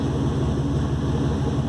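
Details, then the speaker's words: Turbo 4.0 V6 Mustang heard from inside the cabin after a transmission adjustment: steady low engine drone with no rattle or clatter; the earlier transmission rattle is gone and the gearbox sounds normal. "one of the things that show tell me about the rattle of the transmission able adjustment but it no longer sounds like a rattle first inside the car"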